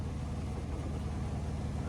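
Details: Carrier rooftop unit above the ceiling, cooling off and blower running: steady, low, rumbling, throbbing drone. The blower wheel had thrown a blade and was out of balance; it was replaced with a new blower wheel.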